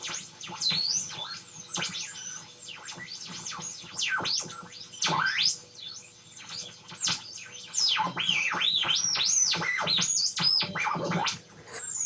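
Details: Homemade FET-based AM radio tuner with salvaged tuning capacitor and coil, long wire antenna, ferrite rod: loud high warbling whistles sweeping up and down, stations barely audible; receiver oscillating.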